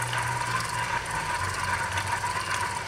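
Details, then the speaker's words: Ryobi AP Power III 8000 spinning reel after sea fishing, cranked by hand: steady whir with a dry, gritty crackle from salt-contaminated, unlubricated bearings; a maintenance issue, fixed by servicing without replacing bearings. "Jadi kemarin waktu mancing di laut saya putar headernya relnya bunyi kresek-kresek resep itu seperti ini bunyinya"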